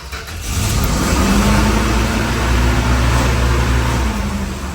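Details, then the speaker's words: 1964 Dodge Dart GT, 273 V8, just started on fuel poured into the carburetor bowls: engine settles into a fast, steady idle that never drops back. High idle from carburetor linkage rod length holding the throttle slightly open; rod needs adjusting. "Oh, the high idle was due to a slight linkage difference on this carburetor, holding it open slightly. Need to adjust that rod length."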